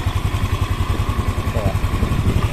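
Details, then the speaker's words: Yamaha NMAX scooter after cam chain tensioner work with the tensioner hole closed; even steady low thumping about nine beats a second, ticking gone; normal idle. "enggak ada suara tetap lagi ya aman"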